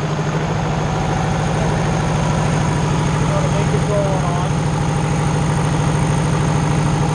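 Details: Diesel engine on a Mayco hydraulic concrete trailer pump held at full throttle: steady, loud, even beat around 160 pulses a minute, sounding normal and healthy under load.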